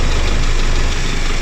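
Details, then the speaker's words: Timor SOHC with 10W-40 oil, warm idle: smooth, even rumble with no top-end ticking. A worn head adjuster gives a typewriter-like click when cold, before oil reaches it, but once warm there is no abnormal noise. "tapi kalau sudah panas ya soalnya seperti ini tidak ada kejanggala"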